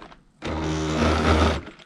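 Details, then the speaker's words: HB Toys ZP1003/ZP1004 cheap RC crawler on stock electronics: short burst of harsh, buzzy whine rising slightly with throttle; owner suspects the electronics cause the angry noise, though it runs fine. "one of the complaints of did get on the lawsuit not so much a complaint but questions was the noise it makes because I think with the electronics in the area this certain watch"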